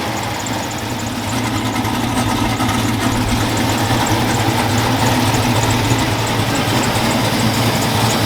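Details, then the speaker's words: Truck V8 at first start-up after a misfire was fixed. No check engine light, oil pressure good. Loud, steady, lopey rumble with no stumble or miss. Healthy, strong idle. "[Applause] like i said it sounds pretty good pretty mean it pulls pretty good"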